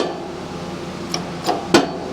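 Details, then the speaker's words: Shop press after boxing C channels and adding steel plate above jack, hand-pumped while pressing oiled pin into motorcycle crankshaft: quiet background with three sharp separate pops at start, then tightening evenly without old heavy jumping; big improvement. "still some popping but it's not it's just pops when you start okay now it's starting to get further in it's getting tighter"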